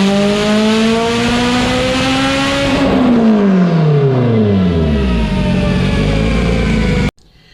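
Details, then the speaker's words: Evo 8 built 2.0 turbo four (Garrett GTX3584RS, Haltech Elite 2500, 282/276 cams, sequential dog box) on dyno after switching to Toyota Denso coils, retuned fuel/timing, 25 psi on 93 octane: pitch climbs smoothly and drops cleanly, no breakup at full boost. "After the coil change, we did make some passes and basically adjusted the fuel and timing and slightly boost. So he's making this power on 25 psi on 93 octane, and we're gonna switch fuels now."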